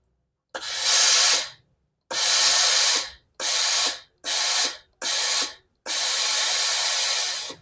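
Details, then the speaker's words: Philips steam iron after repair: steam had come out weakly with a groaning noise at the front, spring stretched and reassembled; six clean forceful steam hisses stopping sharply, no groaning, steam now normal. "ไม่มีเสียงอืดๆแล้วนะครับเราจะมาลองรีดดูนะครับครับไอน้ำก็ออกปกติแล้วนะครับ"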